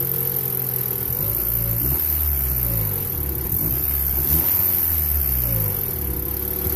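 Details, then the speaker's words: 1994 Honda Accord 2.2 VTEC: a dull knock rises and falls with each rev and follows engine speed; owner suspects rod knock from bad rod bearings slapping the crankshaft, unconfirmed. "got a 1994 Honda Accord 2.2 VTEC rod knock noise."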